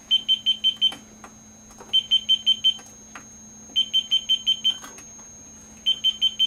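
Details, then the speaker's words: MeterBuilder MB-1 kit self-test diagnostics while probing the eight coupler input ports (forward and reflected on four couplers): bursts of five quick high beeps from the annunciator over a steady hum, each confirming a working input port; normal. "the enunciator is useful for in case you have to do some troubleshooting without looking at the front panel"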